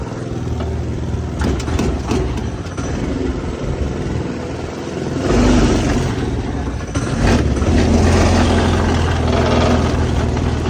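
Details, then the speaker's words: Go-kart small engine just fitted with a new 30mm carburetor: surges and sags instead of holding a steady note, pulling unevenly under throttle; rough uneven running, traced to something plugged that needs tuning. "something is wrong I don't know what's wrong but something's wrong"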